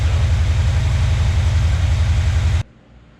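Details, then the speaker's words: 1965 Chevrolet Impala SS after a small-block Chevy engine swap, first start with the new electric choke fitted: even, loping V8 idle with a steady low throb, no knocks or ticks before shutoff; normal idle. "Motor sounds good though. Not making a bunch of noises or anything, you know."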